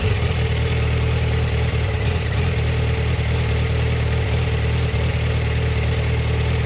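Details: Yamaha FZ1 warm at low rpm: steady low idle with uneven, lumpy beat and slight stumbles, jerky at low rpm; coils tested in spec cold, spark plugs about 6000 km and 2 years old; problem intermittent, cause unknown. Rough idle.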